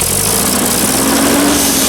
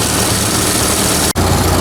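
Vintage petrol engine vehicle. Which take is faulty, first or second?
first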